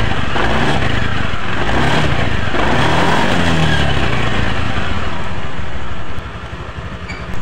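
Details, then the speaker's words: Honda Beat scooter after repair: worn CVT case bearing, which caused clattering on throttle after seal left off rear pulley shaft at a prior service, was replaced; engine now runs steady and smooth with no rattle or knock from the CVT. "Alhamdulillah untuk suara motor Masnya ini sudah halus kembali dan mudah-mudahan awet untuk motor Masnya ini"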